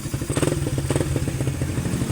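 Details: Suzuki Raider 150 Fi single-cylinder motorcycle that would suddenly not start with no error code, idling after checks with the battery positive line disconnected: steady even low thumping, running on its own charging; charging system OK, problem traced to the battery, needing a new one.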